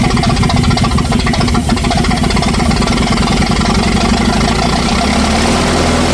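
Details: 1964 LeRoi 125G1 trailer air compressor engine, straight pipe with no muffler, loud note holds steady then sags in pitch as pressure builds; engine struggles to carry compressor load; not yet warmed up.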